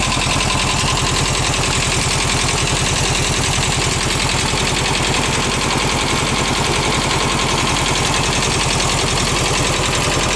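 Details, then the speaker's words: Garage-found VW bus engine running off a gas can on an uncleaned carb: loud, lumpy idle with an uneven beat and a dropped pulse now and then as one cylinder skips; misfire from tight valves, valve adjustment planned. "so I'm going to go UHA adjust the vows real quick and see if it uh will kind of smooth out a little bit and uh maybe regain a little bit more composure you hear one cylinder skipping a beat"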